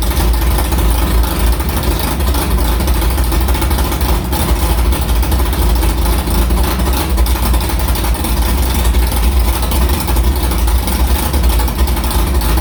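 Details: Carbureted engine with Prosystems carburetor after idle air bleeds were changed from .070 to .055, restarted after firing up quickly: steady, even low rumble with no misses, knocks or surging; idling cleanly.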